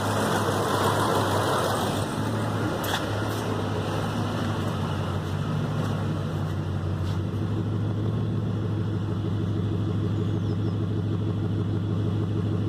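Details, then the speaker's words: Mitsubishi Triton idling: uneven, stumbling beat about three pulses a second with dropped beats, sounding like a misfire, apparently coming from one area of the engine bay; cause unclear. "Hastings seems to be coming from somewhere in this general region."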